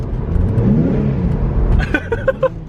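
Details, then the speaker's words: Nissan 350Z HR, driven in third gear: engine revs flare up quickly without matching pull, then settle; badly worn slipping clutch needing replacement (another person says it's tire spin). "That clutch is so bad. I don't think I would have been able to make it home."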